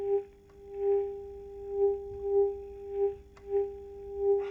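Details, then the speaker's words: 1934 Philips 836A vintage tube radio, RF test with a signal generator at 0.1 V; as the dial sweeps the test tone swells and fades, peaking at two spots; double-spot tuning because the two AM tuned circuits are off frequency relative to each other. "As you can see, we can hear the same signal, aka radio station, on two places on the dial. And that is because we have two AM circuits that are not matching the frequency they are off the frequency regarding each other."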